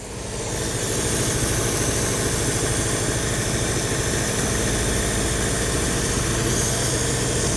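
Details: 1955 Hudson Metropolitan barn find, first run after 28 years, new coil: steady, even idle holding without hunting or stumbling, fuel pump possibly priming; normal idle.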